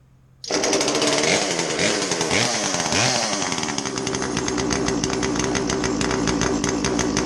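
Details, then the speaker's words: Poulan homeowner chainsaw, possibly overheated and with a dull chain, revs with a raspy, uneven buzz that never clears, caused by a carbon-plugged spark arrestor screen. "it's an easy fix the spark arrestor screen on this is going to be plugged up let's take a look at it yeah that's plugged up"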